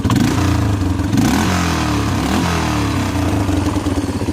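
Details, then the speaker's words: Roughly 20-year-old Yamaha Big Bear 350 ATV with a hole in the exhaust and no smoke: slight tick at idle that goes away as it revs above idle, rough exhaust note; nothing concerning. "Doesn't sound too bad. In fact, the tick goes away after it gets above idle."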